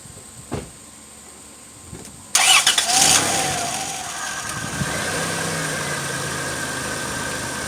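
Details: 1998 Dodge Grand Caravan, 80,000 miles, after replacing the battery to cure a click-no-start: a couple of faint clicks, brief crank, catches at once and settles into a smooth steady idle; starts and runs normally.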